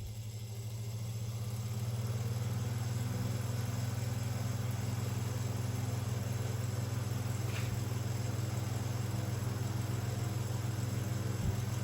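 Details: 1970s/80s Spanish Limit Ariel 12-inch oscillating desk fan, round-grill model, oiled, running on high at 84 W: steady low motor hum with a faint scuff about three times a second; loose winding insulation is dragging on the rotor.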